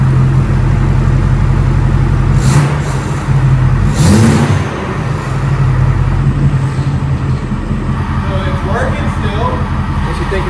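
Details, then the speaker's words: Truck with new tune, catless downpipe and 4-inch muffled exhaust, warming to operating temperature after transmission top-off; a couple of blips then deep, even steady idle rumble, no knocks or misses; normal idle. "about the exhaust. It sounds good. We went with a 4-inch muffled exhaust, so we do have a muffler here, keeping it a little tame."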